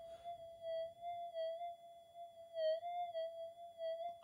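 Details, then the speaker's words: Brand-new Minelab GPX 5000 at factory-standard settings, before its input-stage redesign: a steady mid-pitched threshold hum that warbles and chirps about every half second, showing unstable threshold noise. "fairly chirpy anyway we'll kill it"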